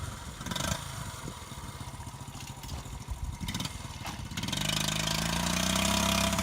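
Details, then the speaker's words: 1983 Honda Z50R pit bike, mostly original with new gas tank and petcock, cold-started first kick on choke and left warming for a minute; quick steady putter rising slightly as it warms; normal cold idle on choke. "Let it warm up for a minute on choke."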